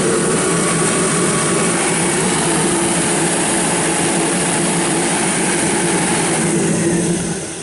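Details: Kerosene torpedo heater, about seven years old, first service after hard starting last year (fuel left in over winter); pump quieter. Steady even burner and fan roar with quiet pump hum, no rattles: running properly.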